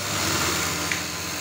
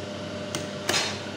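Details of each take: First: Brother 814 buttonhole sewing machine; steady whir then a hard slam and crack at each stop, caused by the stopper screw and its position set too low. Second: Brother 814 buttonhole sewing machine after adjustment: soft steady hum, a couple of light ticks, no harsh bang at the stop; now runs quietly and normally.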